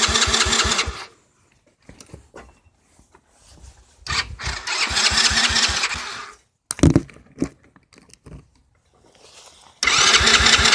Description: Bogs and shuts off